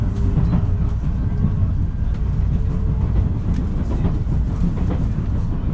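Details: JR West 223 series set W17 running sound, Osaka to Kyoto local service, 13 September 2018; heavy low rumble with a repeating thump following wheel rotation, an abnormal wheel flat.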